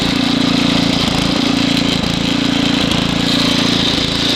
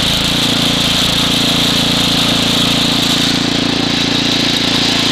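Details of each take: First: Estate-sale Ariens ST724 snow blower with rebuilt carburetor, started first pull cold, running in snow: small single-cylinder engine runs steadily but dips and surges every second or so; lean hunting, main jet needs opening slightly. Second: Ariens ST724 snow blower throwing snow, started first pull cold; main jet slightly richened for cold. Steady, even single-cylinder drone holding speed under load, no surging or hunting; normal running under load.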